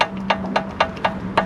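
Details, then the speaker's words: Volvo 244 (240) engine with head removed, turned over: sharp wooden clacks about four times a second, piston slap, one cylinder really bad; bottom-end rebuild needed. "All of them are like that, aren't they? The piston slap, classic 240 piston slap."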